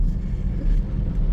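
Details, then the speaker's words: 2004 Toyota Tacoma four-cylinder, 141,000 miles, driving after fixing a dead factory injector on cylinder 1 that quit on restart: smooth, steady low rumble, no stumbles, firing evenly on all cylinders. "but wasn't too hard to diagnose, and you know, the guy's back on the road now. So calling this one fixed."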